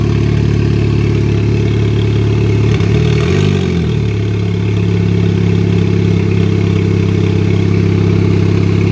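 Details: 2004 Chevy Cavalier 2.2 L Ecotec I4 with 57 mm turbo, first start on two-year-old fuel, no intake or exhaust sensors: loud, deep raspy idle with a brief rev; wastegate wide open so exhaust bypasses turbo unmuffled.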